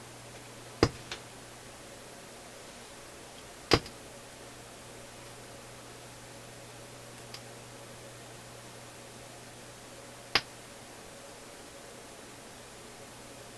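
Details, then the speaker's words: Philips console stereo receiver, traced with a scope from the power supply: faint steady hum broken by sharp irregular pops and shushing sounds, with voltage drops at the probed point; intermittent output popping, cause unknown. "Now, along with the pops, there's shushing sounds, like a pop that didn't quite pop, but instead leaked out, if I can put it that way."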